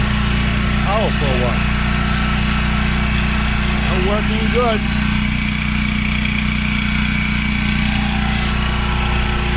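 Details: Washing machine after a part replacement: steady low motor hum, even drum run, no grinding or scraping; normal running.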